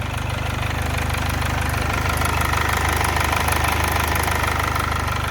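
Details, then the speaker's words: 2011 Chevy Malibu 2.4 L Ecotec petrol engine idling after cam position sensor repair, with a steady rattle on top from a loose timing chain; the hydraulic tensioner is suspected. "Just don't pay attention to that cam chain noise. Uh or the timing chain is definitely loose. And I'm I'm pretty sure that it's that hydraulic uh tensioner that's in there."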